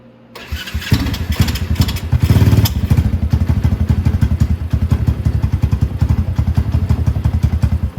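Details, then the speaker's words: Venom X22 125cc motorcycle after stator replacement: catches on the first crank and settles into an even, steady putter at idle with no misses, knocks or rattles; runs fine, normal start and idle. "So it started up, ran fine. There's nothing wrong with it. The stator is all perfect."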